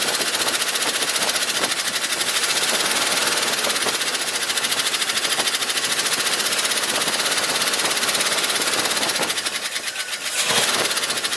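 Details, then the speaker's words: 1971 Ford F250 at idle: a rapid, sharp metallic tick at a steady rate; it is not an exhaust leak and is unchanged with the alternator and water pump belt removed; it seems toward the front of the engine, possibly a lifter or valve; valve train tick. "so sounds like it's toward the front of the engine could be a lifter valve or something or oth"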